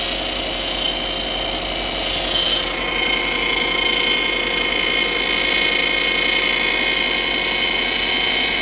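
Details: 2007 Subaru Impreza idling and revving: thin steady high hum rising with engine speed, power steering whine.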